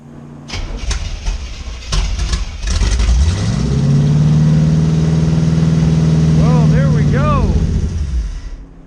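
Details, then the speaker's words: 1985 Chevrolet C4 Corvette, L98 Tuned Port Injection V8, after re-seating distributor/plug leads that were off on driver bank: cranks, catches, settles into low uneven wavering rough idle; no knocking or dropped cylinders, sounds much better than before. "okay idle's definitely screwed up um but that sounded so much better"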